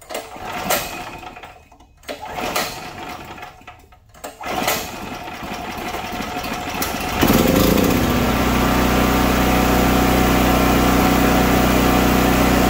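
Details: Predator 4375 watt generator that starts but barely runs and makes no power, restarted with brush wires disconnected and isolated: engine catches and settles into a steady, even run with no hunting or misses; fault suspected in electrical head.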